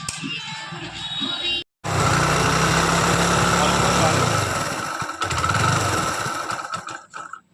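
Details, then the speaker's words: Hero Splendor Plus after a fix for a rattling magnet (magneto) noise, with the carburetor also refitted. It starts on the kick and settles to a steady, even beat with no magneto rattle. Normal running. "Bike की आवाज़ अब और नहीं कोई समस्या उत्पन्न नहीं हो रही है"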